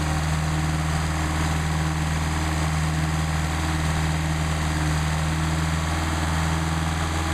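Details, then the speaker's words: Mercedes 190SL with rebuilt Solex carburetors warming up before adjustment, about 99° ambient: smooth, even low rumble at one steady speed with no misses or knocks. Healthy warm-up idle. "The only way you can adjust these properly is to warm up the engine, so I'm going to warm it up here pretty quick."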